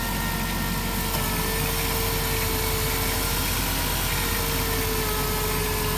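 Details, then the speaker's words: 2007 Dodge Grand Caravan after fixing a rough idle/miss caused by a broken ignition part leaking spark: steady, smooth idle with no stumbles or misses and no dieseling after shutoff; normal idle. "okay why don't you give it a start and I'll just hear how it sounds okay performance parts on a minivan [Music] oh she sounds way better"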